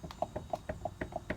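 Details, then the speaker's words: 1999-2007 Chevy Silverado/GMC Sierra 1500 4x4, front wheel lifted and tire rocked by hand: sharp repeatable clunk; front hub bearing has play and is junk, while ball joints and tie rods were checked good. "there's definitely some play and then you can go side to side as well this bearing is definitely junk"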